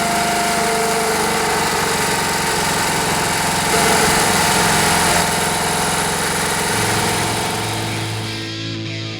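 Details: Rare Briggs & Stratton air-cooled 5 hp single-cylinder outboard, after fixing fuel delivery by sealing the fuel pump line and bulb airtight; steady even rattle rising briefly with throttle, music over it; running normally.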